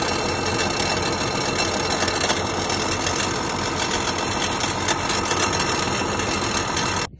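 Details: RSM 2375 tractor diesel running at steady speed with a loud busy clatter and a fast metallic knock that has newly appeared inside the engine; cause not confirmed.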